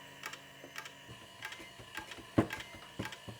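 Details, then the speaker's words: Old 2000s computer power supply fan, after oil injected into bearing: thin steady whir with irregular scratchy clicks and rattles; worn fan bearing. "No, I don't think even oil can help this fan."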